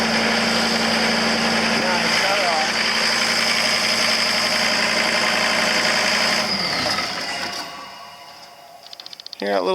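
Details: John Deere CT332 after start-up: steady diesel clatter with a thin high whistle for several seconds, then winding down; small turbo spooling normally.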